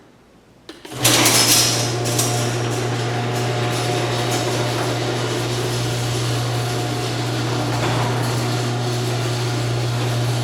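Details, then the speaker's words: Garage door openers running on Generac standby generator power during house load test: smooth steady motor hum, even low drone, no grinding or straining; normal operation. "Air conditioner sounds okay. You know, I gotta say, with the generator changing sound like that when the air conditioner started, I can only imagine what this sounded like when it started up."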